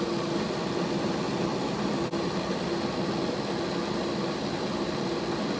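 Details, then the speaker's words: Bachmann Dash 9 model locomotive at speed step 8 after the motors were reseated for good contact with their contact strips: steady, even whirr with a faint hum, no catching or rattle; runs clean after repair. "Let's take it up to 8 speed steps. There's 8. Sounds 100% better."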